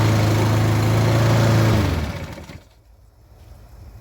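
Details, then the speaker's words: Husqvarna self-propelled four-wheel-drive lawn mower after replacing the shredded drive pulleys: steady, even single-cylinder drone at full speed that winds down smoothly when shut off; drive works, normal running. "it's turning the drive is good the pulleys have been replaced everything under there is brand new"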